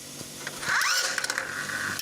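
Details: Short 12-volt motor whir with quick ratcheting gear clicks as the gears turn to push the can out, then a clean stop; the vending machine can dispenser cycles properly.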